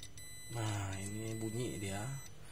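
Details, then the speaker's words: Lenovo V130-14IKB laptop, dead, reported shorted, motherboard removed: steady high continuous continuity beep from the multimeter on the 19V rail, which should not beep, meaning the rail is shorted. "bunyi ini ya ini biasanya kalau Bu bazernya bunyi di jalur 19 yang harusnya dia enggak bunyi bunyi itu maksudnya dia ada ada yang short ya dia nyambung guu harusnya dia enggak nyambung"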